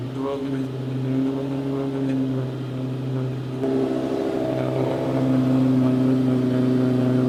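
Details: 2008 Lamborghini Gallardo Superleggera idling after oil change, checking oil pressure: smooth, even engine hum rising slightly then steady, no knocking or ticking; healthy engine.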